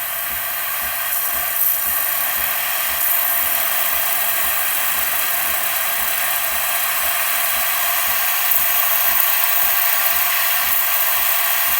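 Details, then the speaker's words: Breville espresso machine after OPV adjustment for a no-pressure fault, steam wand test: water purges first, then strong steady steam hiss with a faint pump tick about three times a second as steam pressure builds; steaming normally after service. "It's going to purge water first, and then steam will follow. You can hear the pump kicking on now, so the steam pressure will now increase."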